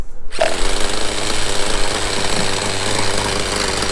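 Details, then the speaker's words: Vintage 1/5-scale Victory Hawk nitro RC motorcycle, first start after 10 years with rotostarter on an upside-down stand, switched glow plug: loud, harsh buzzy drone at constant pitch without stumbling; normal running. "After 10 years, it worked at the first try."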